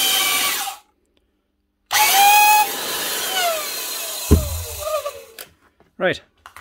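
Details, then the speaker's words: Old Hitachi quarter-inch router, test-run before repair: motor spins up with a high whine and rough gritty edge, then winds down unevenly, no sparking; bad motor bearing or maybe two. "she works and she's not sparking it's just a bad bearing or maybe two"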